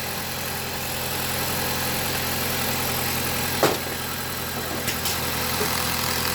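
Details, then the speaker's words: 2016 Jeep Patriot, after fixing a cylinder 2 misfire (codes P0302, P0171) and clearing codes: steady, even idle, smooth hum and a couple of brief knocks, no stumble or miss; engine running smoothly. "Oh yeah, look at that. Camera's not even vibrating. It's running so smooth."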